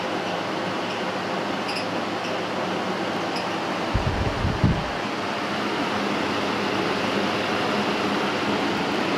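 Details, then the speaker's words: Restored 1956 Western Auto Wizard Rol Aire fan, model 6J3605-A, 2-speed, fully cleaned, on high: steady, even air rush, no ticking, rattling or growl, brief bump midway; quietest it has ever run. "This is the quietest this fan has ever ran. It's completely clean now."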